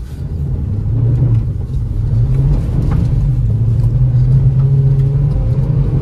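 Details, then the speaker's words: 2017 Hyundai Solaris 1.6 automatic on a test drive: smooth low engine rumble building evenly, no knocks or rattles; engine pulls strongly, healthy under acceleration. "тяга У нас очень хорошая двига двигатель тянет прекрасно"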